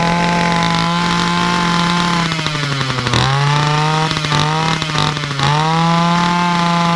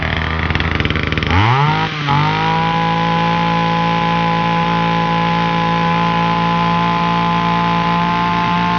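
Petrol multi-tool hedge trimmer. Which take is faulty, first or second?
first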